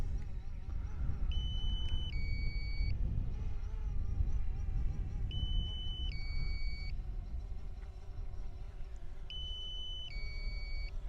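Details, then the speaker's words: DJI Phantom 4 returning to land: two-tone electronic beeps about every four seconds over wind and drone hum, the low-battery warning set to trigger at 40 percent. "now that that beeping that you can hear is because I've set it at 40 percent so what it's it's warning me that the battery's low"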